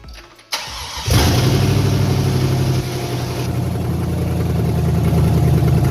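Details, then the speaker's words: Chevrolet Silverado 5.3 V8 on first start after a bent-rod repair with an aftermarket Summit/BTR cam: it catches after a brief crank into a strong, slightly lopey rumble; healthy running. "good y'all good it's good it's good it's gonna burn a bunch of trash off the engine and all that right now"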